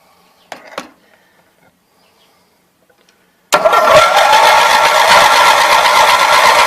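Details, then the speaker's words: Roper Rally 18 HP twin Briggs riding mower (5-speed, 44-inch cut), which doesn't start. After a pause the starter gives a steady, even churn that never catches. No spark at either plug. "no there is absolutely no sport coming out of that plug so out of curiosity let's see what happens with the other plug"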